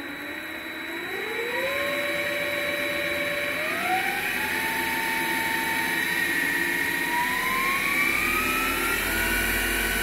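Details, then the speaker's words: MX 8x14 mini-lathe spindle running with no gear train engaged and no cutting load, after slotting motor mounts to relieve an overtight belt; steps up to a steady, even run with a thin high-pitched whine, thought to be the PWM three-phase motor controller. "okay, so it's not cutting anything, it's not under load, but the high-pitched whine you can hear is, I think, the PWM controller, the three-phase controller for the motor."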